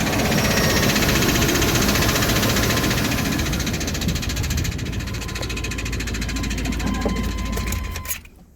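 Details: 1995 K1500 4x4 5.7L TBI 350 small-block V8 idling with a steady rhythmic knock about four a second, appeared suddenly after a restart; cause was a flexplate cracked all around its bolt pattern.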